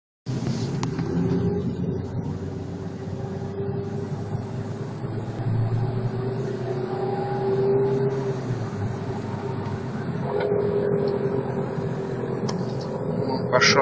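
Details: Ford Focus 2 with 4-speed automatic: above 30–40 km/h, an irregular crackle while coasting off throttle that stops on throttle. On a lift it came from the right wheel near the gearbox; differential or tripod joint suspected, not confirmed.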